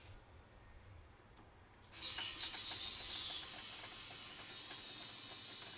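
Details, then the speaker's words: Polaris RZR ATV tire being aired up: sudden sharp steady high hiss after two seconds, air escaping fast from a sizeable puncture almost on the sidewall, found by ear before plugging. "I can hear it. Whoop. There it is right there. So the hole is almost on the sidewall."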